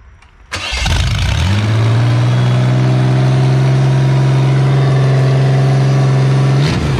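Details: Auto X build engine, fuel pump wiring extended after dog damage and pump primed: brief crank, catches at once, settles to steady low hum; water pump giving good pressure, normal start and idle.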